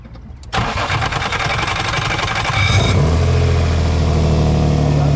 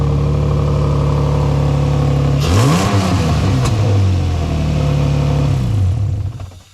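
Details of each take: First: 2003 Nissan 350Z cranking with a harsh, gritty grind for about two seconds before catching and idling, which began after an oil change; starter suspected and being replaced. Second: 2003 Nissan 350Z after new starter install fixing grinding on start: engine running evenly, quick rev climbs and falls back to steady idle, no grinding; normal start and idle.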